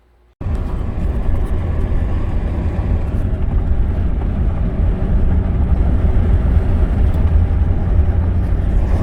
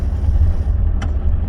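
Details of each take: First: 2011 Ford F150 3.5 EcoBoost reported as detonation on light acceleration: low driving rumble with rapid chattering rattle from a partially engaging left front integrated wheel end leaking vacuum; the noise stops in 4 High with the hub locked. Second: 2011 Ford F150 3.5 EcoBoost on the road in 4 high with the left front hub locked: steady low road rumble and no rattle. The light-acceleration rattle, reported as detonation, came from a partially disengaging left Integrated Wheel End.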